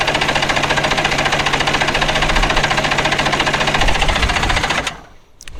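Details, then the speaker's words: Two-stroke premix jon boat outboard that sat about three years, carbs rebuilt, new gas and battery, cold day, choked: steady starter cranking at about 3.5 turns per second that never fires; owner suspects flooding, possibly a bad battery connection. "it's not wanting to start not cool I hope it's not flooded"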